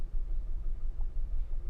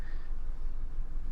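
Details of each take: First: Maruti Alto K10 AMT at idle with blinking check-engine light, cylinder 3 misfire code, low mileage and poor pickup: low uneven stumbling rumble; cylinder 3 ignition coil shows a slight short and the spark plug is bad. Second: Maruti Alto K10 AMT petrol engine idling after the cylinder 3 spark plug and ignition coil were fixed (it had misfire, a blinking check engine light, low mileage and weak pickup): a low, steady, even hum with no stumbles or misses, running smoothly.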